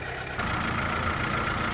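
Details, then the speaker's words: Fire-damaged VW Caddy truck (ABA swap build) idling after a wiring fix; smooth low rumble with no surging or shaking; normal idle; a fire-warped shield rubbing the timing belt was bent back. "But guys, it is finally running right. Oh my god."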